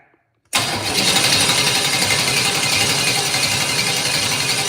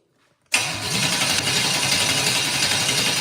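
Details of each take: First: Engine with Holley Sniper 2, cranked to check oil pressure: steady, even starter cranking at about four turns a second, no firing or catches; healthy crank, good oil pressure of 60 lb. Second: Engine with Holley Sniper 2 and break-in oil, first crank for oil pressure: cranks without firing at a steady, slightly labored four beats per second; starter drags a little and needs a shim removed; oil pressure achieved.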